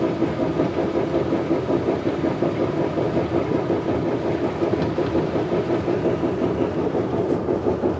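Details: Classic Mini at idle with a constant light knock, two or three per second, under a steady mid-pitched whine; source not identified.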